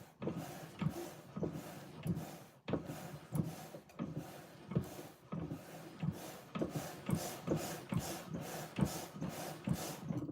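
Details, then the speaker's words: Crank-driven organ: short squeaky scrapes repeating unevenly with each crank stroke. The player says it is the big spring on top of the bellows, not the crank. ">> Yeah, it's squeaking a smidgey bit."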